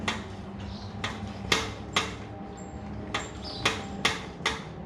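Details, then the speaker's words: 2022 Indian Super Chief riding over bumps: sharp metallic clacks, about eight in five seconds, from the front forks; out-of-spec internal part in the fork shocks, warranty fix kit pending. "Well, that's the sound. I'm not very happy with the sound that we have from that. It is quite noisy."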